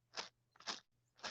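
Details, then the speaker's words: Traxxas UDR RC truck after a run that stripped the wheel hex and melted something; drivetrain turned by hand: three gritty, dry crunches, gears running dry, lacking lubrication, overdue for full teardown and cleaning. "that's that's dry in there so i need to do basically a total breakdown of this entire thing"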